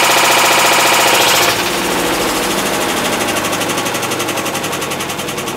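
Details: 2012 Hitachi BeatWash BW-D8KV washer, 8 years old, during wash, rinse and spin: loud fast rhythmic clattering, three or four bangs a second; clutch failure, second time, blamed on overloading.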